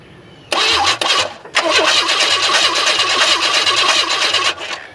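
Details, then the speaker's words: 1994 Chevy Astro van with a newly installed remanufactured engine, cranked through a fabricated remote starter jumper to find TDC. About four seconds of strong, even cranking without catching; normal cranking. "I crafted fabricated so I can crank the engine and find TDC without killing myself"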